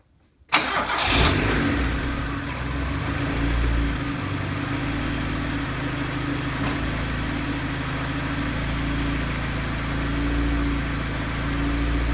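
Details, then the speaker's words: Turbo Honda after installing 525cc Precision injectors and manual boost controller, running an earlier tune, no leaks: starts after short crank and settles into smooth, even idle with steady low hum, no misses or ticks. "there's no leaks it's running really smooth on that tube still"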